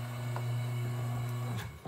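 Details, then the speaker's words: Semi-automatic washer (tanquinho) motor after refitting a belt that kept falling off: steady, even low hum, belt moving within the pulley, considered normal, no slapping, squeal or knocking; smooth belt drive. "aí galera observa que a correia ela fica dançando mais ela tá dançando dentro da polia é normal isso entendeu"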